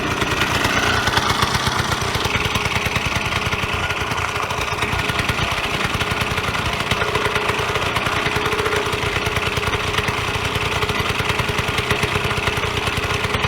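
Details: Vyatka Elektron (VP150M) two-stroke scooter revived after long garage storage, warm engine: quick, even popping beat holding steady with no knocks or misses; idling cleanly.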